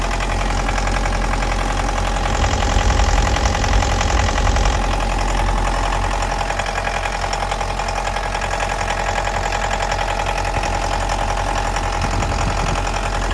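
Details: 2011 Mitsubishi L200 with 2.5 diesel and automatic, 79k km on a clocked odometer (likely 150–200k more), inspected before purchase; rough, uneven knock about two to three per second over the idle clatter. Engine knock, source not pinned down.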